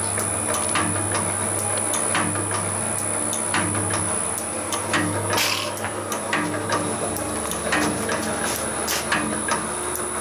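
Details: Finished can-crushing materials processing machine running at 33.5 Hz: steady low motor drone with irregular clicking, roughly forty a minute, from a switch below; runs evenly, normal.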